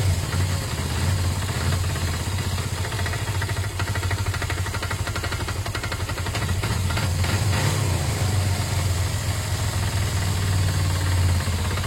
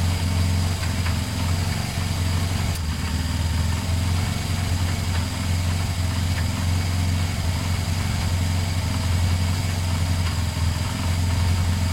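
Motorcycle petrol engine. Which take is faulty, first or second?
first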